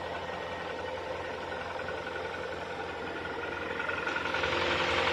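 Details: KIA Sportage 3 engine idling with a quick, fairly even ticking knock around three to four per second over the running noise; knock of unknown cause.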